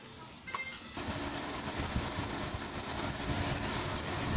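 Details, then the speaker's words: Electric fan that was spinning weakly, after replacing its capacitor (original 2.5 µF, fitted 2 µF), run at speed 3. After a brief start it settles into a strong, steady, even rush of air with no wobble or hum, running healthy. "number three yan Oh narinig niyo ang lakas Okay na ka- senor guys my friends tapos na tayo"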